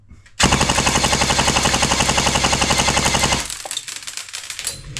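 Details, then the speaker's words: S&T M240b airsoft support gun after a gearbox rebuild, on a 7.4 V battery: crisp, even full-auto cycling at 11 rounds a second, feeding perfectly; 279 fps with 0.28 g BBs. "So, it sounds like perfect and it is feeding perfectly."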